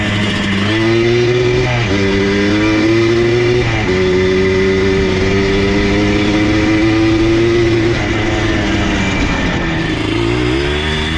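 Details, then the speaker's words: Abandoned Yamaha Blaster ATV idles fine and pulls in first gear, but in second under load anything above mid throttle cuts out, revs stumbling and dropping away; owner doubts ignition and suspects fuel or air starvation such as jetting. "So as you can probably hear, we're okay in like first gear, but then as we come into the power in second and really put a load on the motor, anything above mid throttle starts cutting out."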